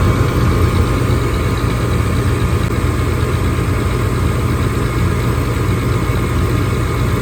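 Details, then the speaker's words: Gas furnace that was blowing cold air, after breaker reset, panel off: steady low draft-fan hum, no rattles or surging, igniter glowing; normal startup. "on our flames to come on. There they are. The valve is now open, so we've got gas and we've got heat."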